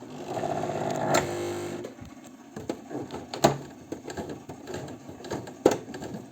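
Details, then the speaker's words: Janome 509 sewing machine, about 15 years old, after repair, sewing four-to-five layers of heavy fabric about 2 mm thick: motor hum with loud uneven thumps about every two seconds; normal heavy pounding. "Ого это что за отбойный молоток у меня получился вообще прикольно А это просто толстая ткань там аж и не знаю 4 раза сложенная"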